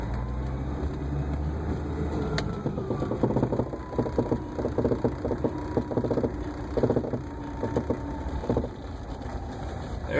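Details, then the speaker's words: A 1980 Mercedes 300SD diesel idles low while sharp, light clicks come in uneven bursts, a few per second, from the front passenger wheel well while reversing. The owner usually hears it when backing down the driveway and doesn't know the cause. "okay I've been getting a strange clicking sound coming from the front uh passenger wheel well uh see if you can hear it when I'm backing up"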